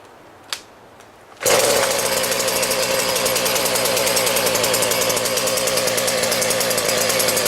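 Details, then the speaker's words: Husqvarna 40 chainsaw after cleaning the Walbro carburetor, which fixed bogging under throttle: crisp, steady high-revving buzz with no bogging or stumbling; runs better than ever. "turns out that that was the problem so I started this thing up and actually runs better than it ever has before"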